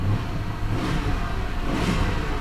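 A short throttle blip rises and falls smoothly with no rattles or knocks; the engine revs cleanly and sounds healthy.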